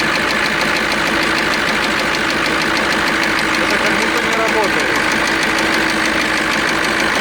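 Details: KAMAZ diesel truck knocking and expelling coolant, idling: steady fairly quick ticking knock over rough idle; owner suspects stuck injector, cylinder liner, or compressor; cause not confirmed.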